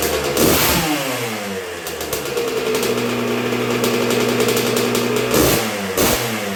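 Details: 1986 Honda CR125R two-stroke on a break-in heat cycle after a new .060-over Wiseco piston top end: crisp idle with short, barely-any-throttle blips, revs picking up cleanly and settling back evenly; healthy normal running.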